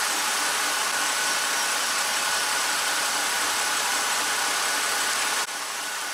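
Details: 2007 BMW X5 engine warm, thermostat open, after electric water pump fix: steady hiss and whir, no surging or knocking, normal idle; pump now holds speed instead of dropping to zero, cooling fan duty cycle being checked.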